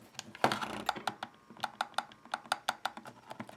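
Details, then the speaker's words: Stock Xbox controller trigger pressed, with foam trigger stops cushioning travel; light quick plastic clicks about four a second and no heavy clunk at the end of travel, working normally. "so if we take a look at the normal controller and you just push trigger you don't hear that clunkiness"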